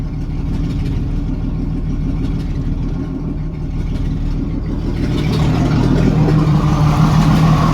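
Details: 1987 Jeep Cherokee 4.0 Renix lumpy idle with a stumbling beat into a rev blip; one cylinder misses. Cylinder 6 exhaust rocker moved less, from a sticking valve or bad lifter. Loosening that rocker bolt made it smooth, with a slight tick remaining.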